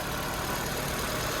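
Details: Copart auction car (Infiniti or Nissan), planned as a cheap flip, on a cold morning: an even, steady hum at idle with no knocks, misses or rattles; the engine runs smoothly, a normal idle.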